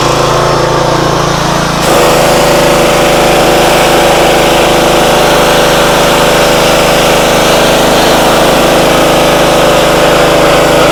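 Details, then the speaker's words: Free used pressure washer that reportedly only runs on choke, started at full throttle on choke after bleeding air from the pump: steady drone with an even buzz, no misses or stumbles; motor and pump seem fine. "pressure washer Works motor seems fine pump seems fine"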